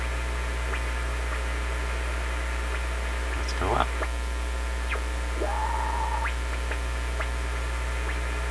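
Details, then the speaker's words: Panasonic RF-3100 shortwave radio reassembled after dial string replacement: steady hum and hiss with sliding whistle settling into a held tone; BFO switched on. "Sounds like the BFO is on. It is."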